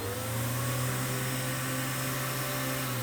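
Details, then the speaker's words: Riccar Spirit vacuum, hose tested fine, hooked up to wand: steady strained motor hum with thin flat whine, indicator light back on; clog stuck in the wand, visible at its end. "lights the light is back on now I know that clog is right there I actually could see it sticking out the end so it did make it pass the floor up into the wand and got stuck"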